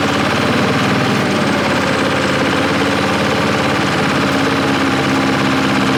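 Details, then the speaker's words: Bulldozer diesel in first gear pushing a pile, lacking power; loud uneven loping beat, running on three cylinders; possible fuel running out suspected, not confirmed. "be what the hell man that ain't right man it's only running on three cylinders no way yeah yeah I went into the pile and you know first gear and it just doesn't have any power you can hear it loping"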